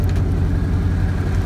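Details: 1955 Chevy truck, stone cold start with rebuilt Edelbrock carburetor: even, steady low rumble at idle, no misses or knocks; normal cold idle.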